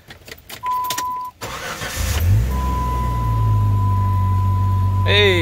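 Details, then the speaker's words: Jeep ZJ Grand Cherokee after welding the exhaust pipes, cat and muffler back in: the starter chirps, then it settles into a steady, even idle with no puffing, ticking or exhaust leaks; normal idle. "Hey, purrs like a kitten. Let's go this way. Sound like this any leaks. Fantastic!"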